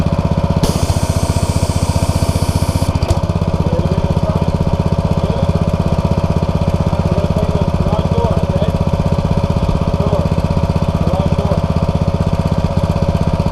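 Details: New Simpson ALH 3228 pressure washer with Cat pump, first use at full throttle spraying: even small-engine drone, steady pulse about four per second with spray hiss, holding speed under load; 3,400 PSI, no problems.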